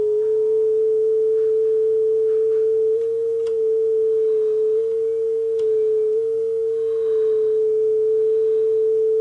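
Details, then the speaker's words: Aiwa AD-F370 cassette deck with all belts replaced, playing a test tone; a steady tone with slight waver and small pitch steps sits sharp, so the deck runs fast and also has lots of wow and flutter. "So not only does it have lots of wow and flutter, but the speed was way off."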